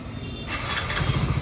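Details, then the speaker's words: Motorcycle just after clutch plate replacement and full cleaning: starts and settles into an even steady idle with no heavy rattle or knock; the loud noise it had before is now completely gone; normal idle. "गाड़ी में बहुत sound आ रहा था अब ये sound बिल्कुल नहीं आ रहा"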